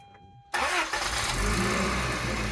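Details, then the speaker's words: Toyota Previa after replacing the fuel injector pressure regulator, chasing intermittent P0171 lean code after head gasket job; fuel system had lost pressure from spillage: short crank, catches almost at once, steady even idle; started faster than expected. "That was faster than I anticipated. Way faster than I anticipated."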